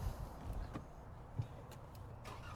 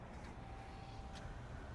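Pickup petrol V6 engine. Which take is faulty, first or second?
first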